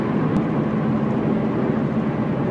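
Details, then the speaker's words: Believed 2007 Subaru Impreza hatch, 5-speed manual, not high mileage: heavy low drone at highway speed, loudest toward the rear, with a propeller-like buh-buh pulse rather than a steady hum; not a tire; owner leans toward a driveshaft U-joint, unconfirmed. "it's not a consistent hum it's a it's like a it's like a propeller or helicopter buh-buh-buh-buh-buh it's really so I'm leaning more towards u-joint on that shaft"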